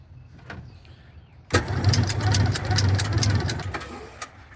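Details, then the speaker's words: Classic Kenmore washer on spin, not washing or spinning: motor hums briefly with rapid clacking about three times a second as the transmission doesn't turn; broken motor coupler. "Okay, ahí tenemos el sonido característico de un copling malo. Se escucha inmediatamente. Vamos a verlo por abajo. Ahorita no va a dar vuelta a la transmisión porque está roto el acoplador."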